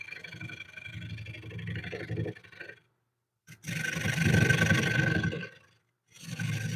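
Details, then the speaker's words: Wood lathe turning a winged bowl: rough buzzing chatter comes in bursts as the tool meets wood and cuts out in the gaps of the interrupted cut; the turner is unsure where the chatter comes from. "You can hear a lot of chatter, and I'm trying to figure out where the chatter is coming from."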